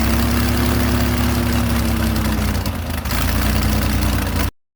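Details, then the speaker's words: Airboat engine holding a fast steady idle around 1200 rpm (should be 450–800) that never settles lower; air leaking past the carburetor base gasket kept the idle high. "All right, the last time you saw me, I was struggling to get the boat to idle. The lowest I could get it to idle was maybe around 1200. It should be idling anywhere from 450 to 800, depending on who you ask."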